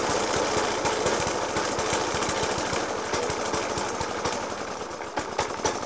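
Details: Suffolk Punch 30S lawnmower (1991 era) with Dellorto FCH 20 carb: loud irregular thumping about two bangs a second, stumbling rough idle after spark plug change, decoke and carb clean; cause unknown.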